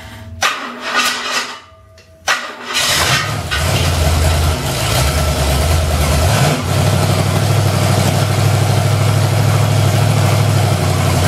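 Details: 1969 XW Ford Falcon during restoration, engine not started in months, cranked to build fuel pressure: a few cranking bursts, then it catches and settles into a smooth, even idle with no knock or miss; chrome pulleys noted as noisy. Runs healthy.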